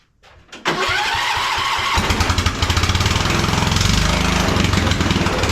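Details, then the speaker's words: 1976 Cub Cadet International Harvester 1250 tractor, single-cylinder, at startup: loud, raw, crackling bark far louder than normal, like race headers; exhaust problem, muffler feared torn off, cover removed to check. "yeah it sounds great right sounds like it's got headers on it like a race car though too so something's going on with this exhaust"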